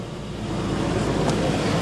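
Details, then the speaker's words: 1998 Isuzu Rodeo V6 that is hard to start, with zero fuel rail pressure after shutoff but pressure once running: once started it gives a low, steady rumble with no stumble or miss and idles normally. "there it won't turn off or anything it'll run it will not hesitate no problems at all it's only hard to start"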